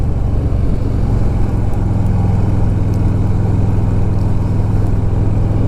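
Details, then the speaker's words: 2007 Harley-Davidson Softail Deluxe 96 ci Twin Cam after a failed compensator was replaced with a compensator eliminator, deep steady rumble with no clanking or drive-side slop; normal running. "well there you go the compensator eliminator was a good idea let's see how she does on the on the road here"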